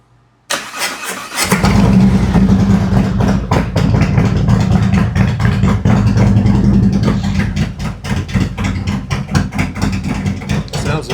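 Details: 2018 Harley-Davidson Road Glide, Milwaukee-Eight 114, after repair for running hot and poor mileage with new Cycle-Rama CR480MT cam, ThunderMax ECM being remapped: catches after brief crank, deep loping steady idle, no misses or knocks; normal start and idle.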